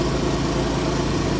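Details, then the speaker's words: Idling after reinstalling stock center muffler, removing Sharkwerks center bypass, with repaired side mufflers and bypass, leak-checked sealed; steady, even idle with soft low rumble and faint air puffing from mufflers, quiet and smooth, no leaks or rattles. "noise, but you can hear the air pressure coming out of the mufflers."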